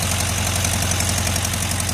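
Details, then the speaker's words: 1973 VW Karmann Ghia, first run after 28 years stored, with a new ignition (plugs, wires, coil, cap, rotor, electronic ignition): steady, even air-cooled idle with a regular low thrum and no miss; quiet, so the muffler is good. "We got a running motor. Sounds good. Not loud, so the muffler is good."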